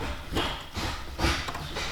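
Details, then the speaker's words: 1998 Honda Civic EK hatch: hollow metallic clanks, about two a second, as the shift linkage strikes the exhaust hanger; fixed by cutting off the linkage's metal piece. "This part keeps hitting this hanger, and that's what's causing that clanking noise."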